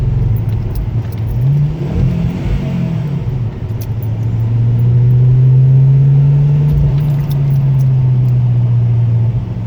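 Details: Ford Focus ST mk2 misfiring under heavy load: deep rumble with an uneven, stumbling exhaust pulse. OBD scan showed P0300 multiple-cylinder misfire on cylinder 1; fixed by replacing all spark plugs (Denso IKH22) and coil 1 (Bosch).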